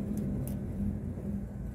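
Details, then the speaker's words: Rooftop HVAC unit's indoor fan assembly started after its set screws were checked: a rough, uneven low rumble and hum. Bad fan bearings are suspected, probably both; not confirmed. "sounds like a bad bearing that's what it sounds like to me so it looks like we're not done with this one"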